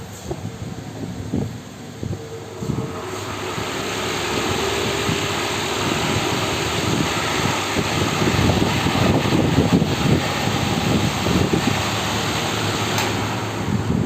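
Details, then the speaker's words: Fan running after the loose seat was tightened instead of replacing the bearing: only a smooth, even rush of air with no ticking or rubbing; noise fixed, normal running. "आपको सिर्फ इसमें air की आवाज दिखाई दे रही होगी सुनाई दे रही होगी सॉरी ठीक है"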